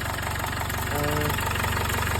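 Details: Jaguar XF 2.0L diesel idling after turbo and DPF replacement, no exhaust leaks found; steady, even idle with a smooth low thrum and no ticking, puffing or rattles, engine running healthy.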